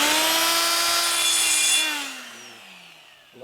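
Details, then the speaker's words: Air-powered die grinder with carbide burr porting a 74-inch Harley Shovelhead head: a high whine drags lower and turns rough as it bites into metal, then spins down. The burr is loaded up. "also sounds like it's loaded up. Well, I gotta clean it out. So it looks like it's loading up a little bit."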